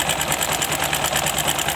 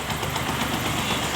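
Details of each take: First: Bajaj Discover 150 motorcycle with engine work from another shop: fast, light sewing-machine-like ticking over a steady idle. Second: Bajaj Discover 150 motorcycle after a spring inside the engine was fitted and tightened: steady, even single-cylinder idle with no knocking or rattle over the exhaust beat; engine noise gone, running normally.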